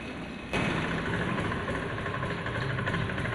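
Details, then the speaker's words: Honda Scoopy fuel-injected scooter, retested with the hose-shim trick removed: a sharp throttle snap lifts the revs, then the engine hangs flat (ngempos) instead of pulling; the fault returned, so the throttle position sensor is faulty, with a voltage drop. "teman-teman ternyata penyakitnya kambuh lagi ya teman-teman berarti ini sudah otomatis sensor TPS ini bermasalah temen-temen yang terjadi adalah penurunan voltase ya teman-teman"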